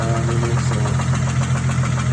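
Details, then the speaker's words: 2012 Ford Mustang 3.7L V6 at idle: rough idle with a dull, regular knock about four times a second over the low engine drone; owner thinks it is rod knock. "I think it's rod knock. Possibly might just have to go ahead and buy a new engine."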